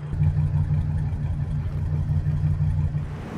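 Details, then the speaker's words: 2006 Ford E450 with a severely overheated 6.8L Triton V10 and blown head gaskets: lumpy, loping idle with a cylinder dropping out as Blue Devil sealer is added, before a 50-minute run; misfire from coolant leaking into the cylinder. "so we'll let it run for 50 minutes see if that engine shake goes away as well"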